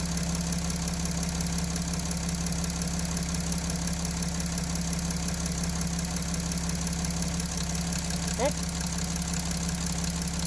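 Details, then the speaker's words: Mercedes OM642 diesel at idle: light, fairly even knock about twice a second from the high-pressure pump drive, starting when lift pump PWM duty changed from 36% to 37% and its output dropped; pump drive knock from low lift pump output. "То есть, можно сказать, уменьшилась производительность насоса. И начался вот этот шум."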